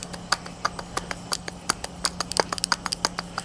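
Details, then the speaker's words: Rear hub and bearing turned by hand: rough, uneven clicking and gritty ticks about three a second instead of a smooth spin, a worn-out bearing that also grinds badly on the road; rear brakes also bad. "really really bad and as it's going down the road it grinds really bad too so you should have all of it inspected"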